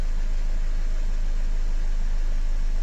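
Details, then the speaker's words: Nissan X-Trail 2.0 dCi diesel, restarted after switching the ignition on and a reset: it starts easily and gives a steady, even idle with a smooth low drone and no knock or tick; normal idle. "Глушим, включаем зажигание, сброс. Заводим. Заводится все хорошо."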